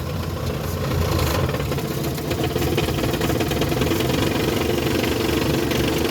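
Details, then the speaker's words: Classic camper van, under 100k miles, a mechanic called it a smoke show; owner's own repair, running in drive: steady even mid-pitched rumble, no knock or misfire; running normally after the fix. "This beautiful sound here? This is the sound of me fixing my car when a mechanic couldn't. It's glorious."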